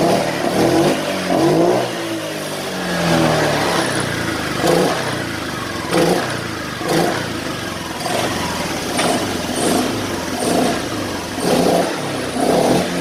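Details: Honda Vario Techno 125 injection scooter after repair, fault traced to the ECU: repeated blips rising quickly and cleanly, no bogging or sputter between them; normal throttle response.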